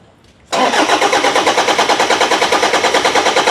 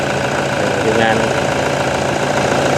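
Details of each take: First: Toyota Vigo 1KD diesel, cranks but won't start: even cranking about three strokes a second, never catches. The injection pump can't build pressure (low pressure, code 0093, pump temperature code); timing belt checked and not broken. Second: Toyota Vigo 1KD diesel after a pump rebuild (plungers, O-rings, seals) that fixed the crank-no-start: even, steady idle clatter with no knock standing out; it settles and runs smoothly.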